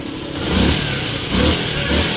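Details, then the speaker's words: Honda TMX 125 after converting to 4-pin CDI (old CDI wouldn't push-start, kickstart worked): starts with one push-button click, revs in clean even blips, settling back without stumbling or misfire; running healthy. "So kanina ayos siyang mag-start sa push button. Ayun oh. One click na lang mga boss."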